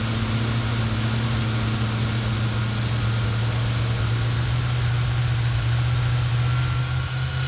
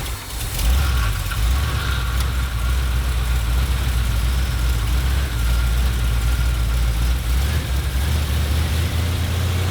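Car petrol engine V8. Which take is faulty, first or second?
second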